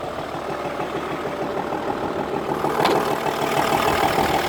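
Even knocking at about three per second rides over a steady diesel idle, knocking at idle with the cause not yet pinned down.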